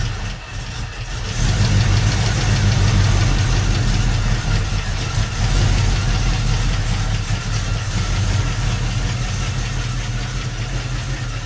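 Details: 1971 Mercury Comet GT V8 on a cold start, oil carrying metal debris and possible bearing fragments: catches and settles into a deep, uneven rumble with a knocking edge; sounds like bearing damage; to be replaced by a 347 crate engine.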